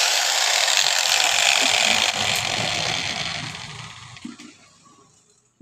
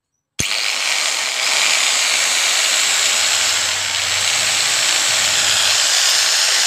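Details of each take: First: Angle grinder (model 801) on mains power: harsh, gritty whir under a high motor scream, fading on spin-down, with sparking at the carbon brush base; the 607 bearing is shattered with balls displaced, and the 607 and 608 bearings are being replaced. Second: Angle grinder (model 801, 600 W parts) after bearing and armature replacement, earlier sparking at carbon brushes and humming: spins up to a smooth, steady high whine, no rumble or bearing grinding; runs healthy after repair.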